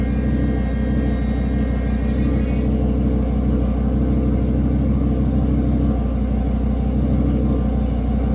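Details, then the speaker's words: Audi RS3 pre-facelift with the engine idling during a Haldex service after the oil fill: loud, steady high-pitched whine for about three seconds, then it cuts out; the Haldex pump is priming normally and winding up. "That's the pump doing its thing. I don't like making it scream, but that's definitely it. You can hear it winding up."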